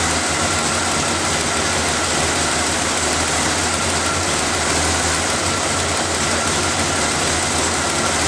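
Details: Engine started after refitting the vacuum lines, air filter and cover, to listen for air-leak hissing; steady even idle with a smooth low hum and some hiss, no knocks or ticks. Normal idle, no obvious leaks.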